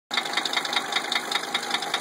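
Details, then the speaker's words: 1980 Mercedes 300SD diesel at idle after a valve adjustment: sharp, even metallic knocks at about five per second persist; valve adjustment did not cure the knock. "Just finished the valve adjustment. Well, valves are adjusted, same noise."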